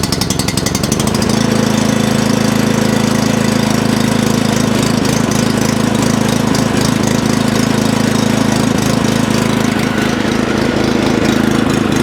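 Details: Previously non-running tiller/rotovator being tested before purchase, started on choke with fuel on; brief cranking, then catches and holds a steady, even beat of about four firings a second. Running fine.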